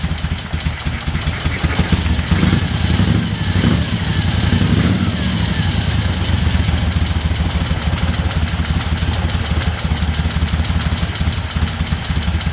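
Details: 1975 Moto Guzzi twin after restoration, started at about 40 degrees with choke on: catches quickly, then settles into a steady low, even throb with no knocks or misses; mirrors vibrated loose. Normal cold idle.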